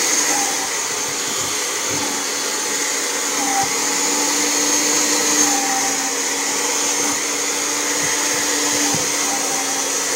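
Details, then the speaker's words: Kirby Generation 4 80th Anniversary vacuum after replacing suction fan: steady high-pitched motor whine at even pitch, no rattle, surging or scraping, running full power; sticking safety switch held with screwdriver. "so it's actually running pretty good and this thing's actually running full power"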